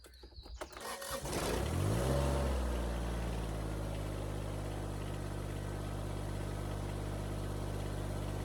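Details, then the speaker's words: Kubota BX25 diesel tractor after replacing the broken belt driving coolant pump, fan, alternator and hydraulics: brief crank, catch with short rev, then steady even diesel idle with no knocks or misses; normal start and idle. "Okay, let's give it a start. Let it run for a few minutes."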